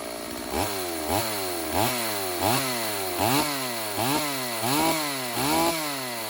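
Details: Older Stihl AV 028 Woodboss chainsaw that had been running lean and bogging, after replacing the fuel line and filter and tuning. It snaps cleanly from idle to high revs and back, crisp and even with no bogging; normal running.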